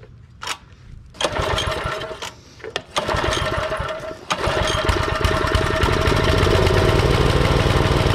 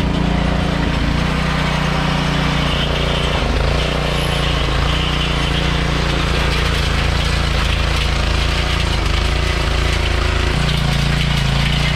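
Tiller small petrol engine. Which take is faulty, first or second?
first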